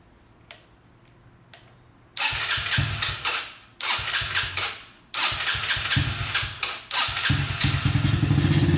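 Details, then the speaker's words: Yamaha TTR-90 dirt bike that sat unused, possibly without fuel stabilizer: it starts on choke, runs a few rough seconds, then dies when the choke is turned off, repeated three times. A clogged pilot jet or debris from the tank in the carburetor is suspected. "I'm going to start it with the choke on. Turn the choke off, it immediately dies."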